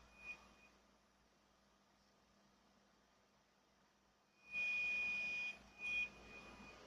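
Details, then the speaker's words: Laptop with a thin steady high-pitched whistle over a quiet hum, located at the hard drive bay; hard drive suspected, speakers ruled out, unconfirmed. "Это шумит винт шумит Вот именно в этой части Где стоит винчестер"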